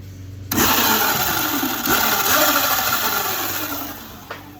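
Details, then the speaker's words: Modded Razor electric bike with a 5-inch extended Midwest minimod swingarm: the motor spins up under a rough, gritty grinding over its whine, caused by a loose drive chain, before the chain is tightened. "like that grinding sound, right? It's no bueno. No bueno."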